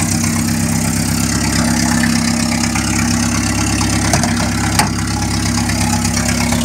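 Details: 1961 Land Rover Series II, hand-cranked, stone cold with full choke: loud, raw, uneven idle with harsh blatting exhaust; muffler fell off, recorded before new muffler install.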